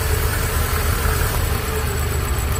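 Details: Engine idling with a steady rumble and faint constant whir; strange engine noise, typical of a worn water pump bearing.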